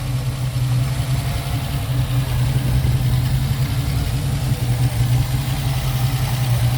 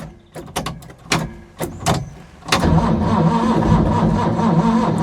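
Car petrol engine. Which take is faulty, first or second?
second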